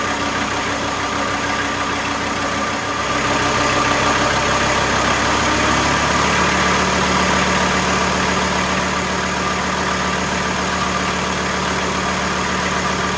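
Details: VW T4 with AAB diesel engine, driven 250 km, warming to 60 °C oil temperature, on old diesel: steady, even diesel clatter at constant low idle speed, no misses or hunting; idle judged normal.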